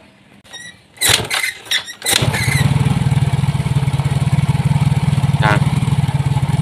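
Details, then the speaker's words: Yamaha Mio J scooter: starts and settles into steady even putter about four beats a second; intake air pressure drops to 48–50; normal idle, unlike before. "jadi motor ini sudah hidup kawan ya tidak seperti tadi tuh"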